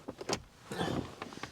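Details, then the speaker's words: 2014 Kia Sorento with faulty door locks: on the lock command only a short, faint buzz and click inside the door, a twitch but no solid clunk, while the relay clicks; weak door lock actuator. "but if you really listen I can hear it clicking in the door here but none of these others are doing anything"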